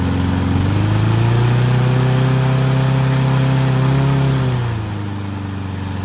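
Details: Troy-Bilt mower with Honda engine, after carburetor cleaning and draining water-contaminated fuel (fresh gas), previously would not start: catches and holds a smooth high idle several seconds, then settles lower and stays even; running cleanly.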